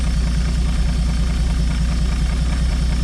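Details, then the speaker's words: 1964/65 Chevy G10 van, sat 25+ years, running after float bowl refilled; steady low rumble with regular knock about two per second, seeming toward rear of motor; engine knock, unhealthy motor. "Hear that knock though? It's not a healthy motor."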